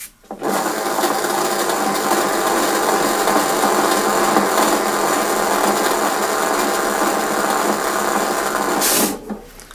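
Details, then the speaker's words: Hyundai lawn mower pushed forward after lubricating the noisy grating freewheel system; steady even rasp of wheels on grass with no clicking or squeal, freewheel now quiet. "no noise."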